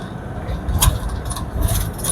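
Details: Toyota Hiace 3L 2.8 diesel, whose old final drive howled at high revs, cruising around 100–120 km/h: a steady low drivetrain rumble with no whine or howl from the rear and a quiet engine, the final drive healthy.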